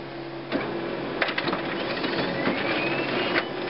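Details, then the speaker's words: Laser printer with lower tray inserted by itself, not seated with the other trays: steady motor hum with uneven clicks and rattle as paper feeds, then a 41 error and blank page, a misleading error often blamed on the scanner assembly. "there? Hear that rattle there? Here we are. As we suspect."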